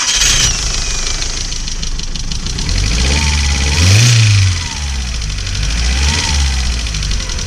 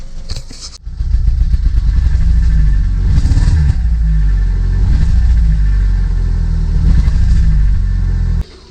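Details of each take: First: Audi A2 1.6 FSI after inlet manifold strip-down, injector replacement and inlet valve decoke, earlier poor running with misfire and EML light: engine cranks, catches and revs, then settles to a steady run, starting cleanly with no hesitation. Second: Audi A2 1.6 FSI petrol, cold, with EML light on: a gentle low-rev throttle blip gives an uneven, stumbling beat. Misfire only at low revs on light throttle, clean above 3,000 rpm but losing power; later traced to injectors and coked inlet valves.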